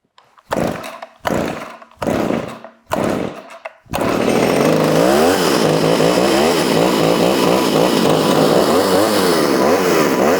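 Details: Vintage Pioneer P26 chainsaw (1976–81) found in a barn, first start with a little choke and a loose exhaust: after a few pull-starts it fires, but the revs keep surging up and down instead of settling; it won't hold an idle.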